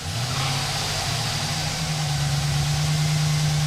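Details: 2008 Chevrolet Silverado 1500 with about 400k km, after an engine swap (old 5.3 engine had a collapsed lifter and scored cylinder), first start: steady, even low rumble with a brief rev, no ticks or knocks; idles cleanly.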